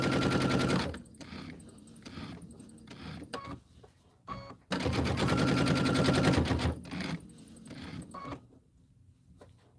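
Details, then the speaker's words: Sewing machine stitching runs in bursts about four knocks a second, heavier and clunkier than normal; thread balled up underneath, possibly out of the take-up: clunky stitching. "That doesn't sound right to Something sounds clunky."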